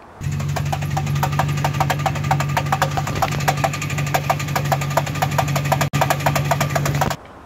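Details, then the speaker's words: 1996 Ford Mustang drift car: really loud sharp knocks about four times a second over a steady low hum, from the transmission not the engine; worn throw-out bearing sleeve and pivot stud, fixed by replacing them. "As you can see, there is this like really loud knock in the car. Luckily it is not the engine is fine, but it is something in the transmission."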